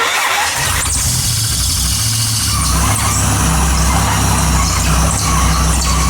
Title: Squealing sound was the smog pump was seized working to remove and start and run again